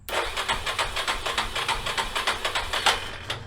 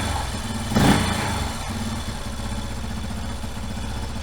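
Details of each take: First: 1989 Yamaha Moto 4 YFM350ERW single, first start after head repair with the carburetor tapped to stop a leak; rapid, uneven cranking around 3 beats a second that never catches; it starts right up once the choke is turned on. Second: 1989 Yamaha Moto 4 YFM350ERW single, just started after a head repair with new piston and head, choke off, being run through break-in cycles; steady idle thumping with brief rev blips, smooth and even; normal healthy idle.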